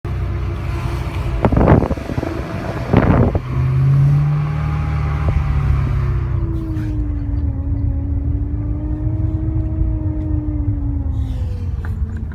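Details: BMW E92 M3: clear whine wavering with engine speed over low rumble; owner suspects power steering fluid or filter, not confirmed.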